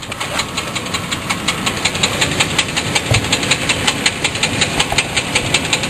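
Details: Sharp, even ticking knock about 160 a minute over a steady hissy idle, same when given gas; something loose rattling in time, owner suspects torque converter bolt; engine knock, unconfirmed.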